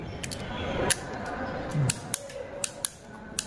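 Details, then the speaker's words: Sharp, crisp clicks at an uneven pace as the handle of a mini mechanical limit switch is turned; a clean snap on each actuation shows the switch is working properly. "তাহলে এই শব্দটা হচ্ছে এই শব্দটা হলেই বোঝা যাবে যে এই লিমিট সুইচটা কাজ করছে"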